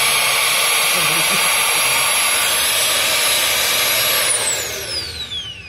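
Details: 2008 Chevrolet Cobalt 2.2L with check-engine light and codes, new secondary air injection pump motor bench-tested before installing: strong, steady high-pitched whir, then smooth spin-down at switch-off; strong, healthy pump.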